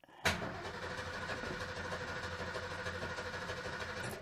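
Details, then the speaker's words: 1973 Ford Maverick 302 V8 with a never-working fuel gauge reading E: starter churns steadily about four seconds but the engine never fires; cranks without starting, suspected out of gas. "and of course there's nothing"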